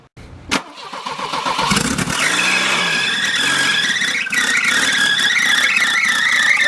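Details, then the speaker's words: Volvo with welded diff, no-start fixed by new spark plugs (coil pack also considered); after plug replacement a short crank, then the engine catches cleanly and settles into a steady idle with no misfire: normal start and idle. "all right guys so as you can see the volvo started um it's crazy how the spark plugs prevented the car from starting"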